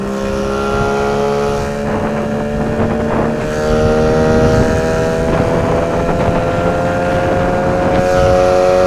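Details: 9.8 motor with a 'brake-like' whistle whose cause the owner is asking about. A steady motor hum carries a thin high squeal whose pitch creeps up as revs rise: squeal while running, source unknown.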